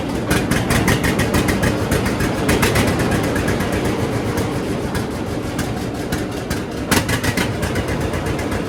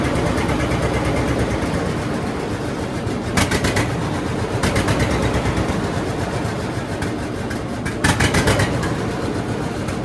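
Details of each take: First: John Deere D two-cylinder tractor with new Autolite plugs, before regapping to 0.030 in: lumpy idle with uneven, skipping beats and occasional stumbles; tight-gapped plugs causing misfire at idle. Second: John Deere D two-cylinder tractor after cleaning and gapping spark plugs to 0.030 in to fix a misfire: slow, even thump with louder bursts under throttle, no misses, pops or backfires, some black smoke; sounds well tuned.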